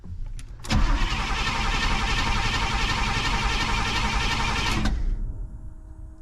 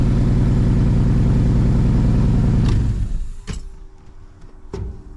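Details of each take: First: 1985 Pontiac Trans Am that sat a year with a burned ignition power wire: two long cranking bursts that never catch. Check engine light on, no key-on fuel pump prime; the pump only runs off the oil pressure switch. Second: 1985 Pontiac Firebird Trans Am V8, sat about a year not starting due to miswired starter/ignition, fuel pump possibly not building pressure, possibly low on fuel: first start, steady even rumble at clean idle, then shut off with clunks.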